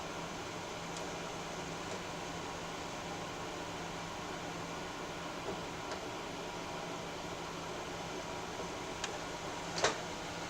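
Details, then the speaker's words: Atari 2600 console under repair: steady hiss with low hum beneath faint game ticks, static quieter than before but still present; cause suspected, not confirmed; audio static hiss. "Is that Is that static a lot quieter now? Let's Let's get it back to where it's not playing. Okay, there we go. I mean, it is still there, but it's not as noticeable anymore."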